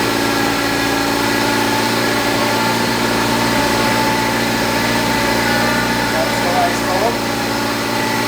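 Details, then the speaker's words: 1973 Triumph Spitfire four-cylinder started after sitting three years, following reconnection of wires, hoses, distributor, carburetor and fuel-filter work: steady, even idle with constant pitch, no knocks or misses; sounds real nice, normal idle. ">> She works. >> Sounds real nice."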